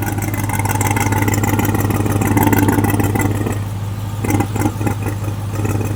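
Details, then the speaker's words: RAM TRX with a junkyard replacement engine being revved: rough whooshing rush on the exhaust note rising with throttle, heavy oil in the exhaust; owner suspects it's breathing through the wastegate, possibly jammed by debris, unconfirmed. "So that's what it is. It's breathing through the wastegate. It's like it's, you know, I wonder if that wastegate has a piece of trash in it from whenever."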